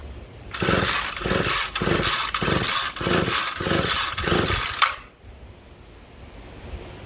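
Quick, light rope pulls about twice a second for several seconds with no firing at all, the easy spin of a weak-compression two-stroke. Cause suspected, not confirmed.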